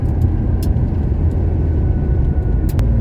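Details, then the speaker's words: 1970 Porsche 911T flat-six about a mile into its first road drive in 12 years, in a park with a 25 limit: steady rumble pulling cleanly under load, no misses or knocks. The owner suspects the fuel pump lost pressure once warm. Normal under load. "I can already tell you that this is way better. So I think that's definitely the issue, was the fuel pump, not enough fuel pressure."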